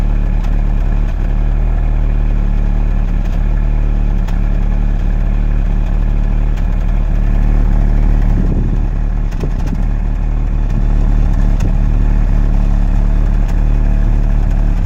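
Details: VW Golf 6 TSI petrol idling, car shaking badly after about 30 seconds: deep uneven exhaust pulse stumbling about three times a second; owner suspects misfire.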